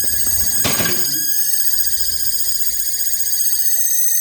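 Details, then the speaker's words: LG ThinQ refrigerator made 01/2022, still cooling: loud steady high-pitched whirring whine with a brief early rattle; the fan turns, but the owner suspects its motor is faulty. "that fan is working. Okay, that fan is moving but that fan is uh is making the the fan is okay but the the problem is the motor they call C motor"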